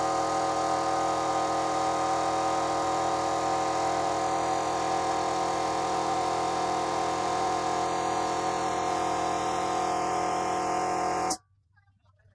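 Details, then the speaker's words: Kraftdekker KD-50L compressor filling its 50-liter tank to 8 bar in about 3 min 19 s: even steady motor drone with fixed tone, no knocks or rattles, then clean cut-off; normal running, hissing noted at quick connector. "okay i can hear some hissing from the quick connector it's not very quick but nice hissing so it is releasing some water and when i say water i mean air"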